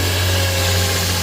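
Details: 2007 Nissan Quest, crank-no-start after new fuel pump, found simply out of fuel; after adding a gallon and fuel pressure returns: smooth, steady idle with even low hum, no misses or knocks; running normally.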